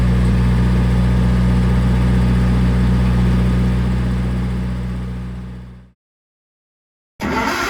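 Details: Old gas-powered Hobart engine-driven welder: strong, steady low drone holding even pitch under welding load, then dying away to silence. Pulls the load cleanly.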